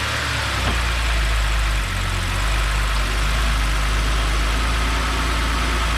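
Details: BMW X5 N52 after Valvetronic motor seal replaced for oil leak and reassembled: smooth, even low idle held steady with no knocks, misses or hunting.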